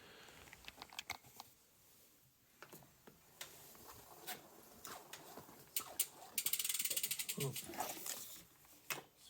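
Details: Priority 600 bike with 12-speed Pinion C1.12 gearbox, shifted into first gear: light crisp ratchet ticks, sparse then a quick even run as the wheel coasts; normal freehub sound.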